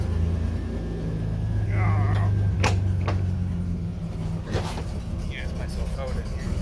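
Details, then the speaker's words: 1987 Buick Grand National after 9 years parked, rebuilt engine with Hooker headers, possible cam: deep steady drone, cooling fan running nonstop, slightly uneven idle; owner suspects a temperature sensor falsely reading very hot, unconfirmed. "one of the temperature sensors somewhere in the engine control system is telling the computer that it's really really hot which is why it's not right it's not idling right because it doesn't know what temperature it is"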